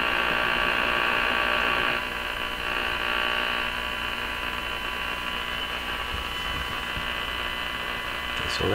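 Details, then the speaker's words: Electrohome Music Box PMU51 418 radio, after replacing unreliable components, during alignment check: a steady buzzy hum with a hissy upper edge swamps the stations; household electrical noise is stronger than the stations. "again so you can see the problem in this shop there's so much noise in here in my house the noises are stronger than the"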